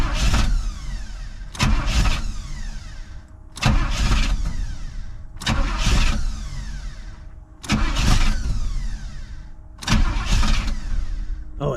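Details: 1985 Pontiac Trans Am that sat a year: engine catches in short rough bursts and dies back each time. Pump heard running but no spray seen at the fuel rail; owner questions whether it is out of fuel.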